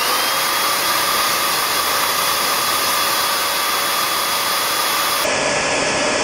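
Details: Bissell vacuum cleaner brush motor and fan run with cover off, held by screwdriver: loud high steady whirring whistle, no wobble or grinding; normal, much louder uncovered.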